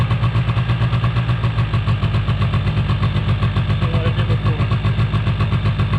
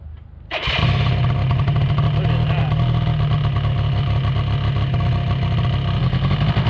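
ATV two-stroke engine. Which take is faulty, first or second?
first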